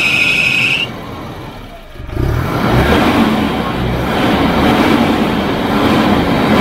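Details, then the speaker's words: Volvo 240 wagon (245) abandoned for years, first start with old varnish-smelling oil; short starter whine, then catches and idles fairly steadily with faint unevenness; owner says a little rough, needs fresh oil; slightly rough running. "obviously need some fresh oil you can hear it's probably a little bit rough sounding"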